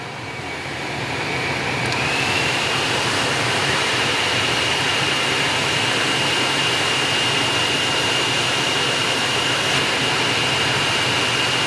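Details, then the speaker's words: Aftermarket ventilated seat cushion fans in Hyundai Aura CNG switched to speed 3, engine running, AC blower on setting 1: smooth airy rush with thin high whine climbing as fans speed up, then steady; normal fan operation. "तो इस तरह से noise हमें इस ventilated के seat के can pay मिलती है"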